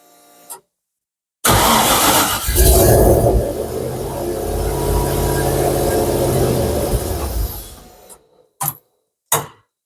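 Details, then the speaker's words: Mk1 Ford Capri with turbocharged Rover V8, rebuilt bottom end, first start on unmapped ECU: turbo spinning, engine catches and runs roughly for several seconds then dies; possibly running a little rich. Engine fires but won't keep running. "it doesn't keep running you can have the turbo spinning that's cool think it might be a little bit Rich um still that's a start it doesn't run but then you know it hasn't been mapped"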